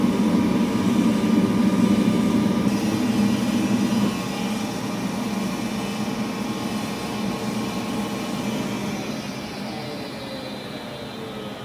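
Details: Gas furnace cycled on: loud droning howl from the draft inducer motor that falls in pitch as it coasts down, caused by a bad bearing; loud enough to wake the owner at night, motor being replaced. Worn draft inducer motor bearing.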